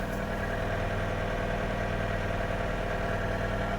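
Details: 2004 Kia Rio with 223,000 km idling smoothly and quietly, no lifter ticking heard, after adding Suprotec and driving a few hundred km; hydraulic lifters previously ticked both cold and warm.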